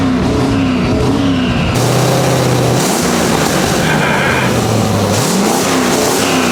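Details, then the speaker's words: 1959 Chevrolet Apache pickup restomod with twin rear-mount 3071R turbo LS3 V8 on first start-up after ECU VATS removal; blipped revs fire evenly with no knocks or misses, some smoke; non-start traced to fuel pump relay trigger wire from ECU. "yeah oh she's smoking [Music] all right so it does work it's not just yes I'm stoked"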